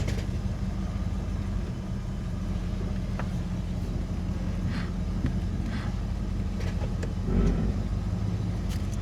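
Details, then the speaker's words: Holden VN SS V8 idling after fresh oil; it was ticky at the start because of the oil but is now quiet, with a low, even rumble, no ticking and only faint outdoor clicks. Normal idle. "Ah, this sounds nice and quiet, doesn't it? It was a bit ticky at the start, obviously, because of the oil, but now got fresh fluid in it."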